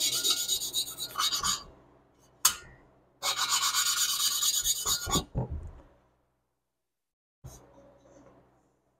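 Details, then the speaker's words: Lapping a valve into its seat on a 1976 Porsche 912E Type 4 2.0 cylinder head, by hand with lapping compound: rhythmic raspy back-and-forth grinding strokes that soften and get quieter toward the end; seat is properly lapped in. "as you do this it starts to hear and get quieter and quieter and that's what you're after you're after that tone"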